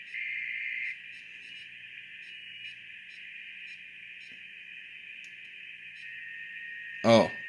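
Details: BITX40 transceiver during rebuild and calibration, tuned to FT8 at 7074 kHz; quiet hiss with a steady band of warbling digital tones around 2 kHz as the receiver picks up signals normally.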